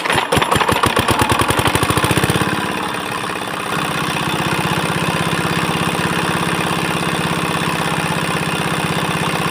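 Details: 4-hp Chinese single-cylinder diesel engine started after fuel pump plunger installation and nozzle pressure setting: cranks with fast rhythmic chuffs, catches and settles into an even steady beat; normal running after rebuild.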